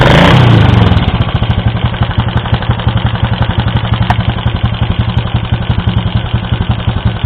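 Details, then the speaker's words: Yamaha Vega Force motorcycle, rough running and hard starting; rough idle with steady rapid ticking about three per second. Valve clearance far too loose causing tick; valves blackened, cylinder block scored and worn, oil level fine. "Dan ternyata salah satu penyakitnya yaitu terlalu kendor di bagian platu klep ini kita cek. Nah, ini kerenggangannya sungguh sangat longgar sekali sehingga ini yang menyebabkan bunyinya kemetek."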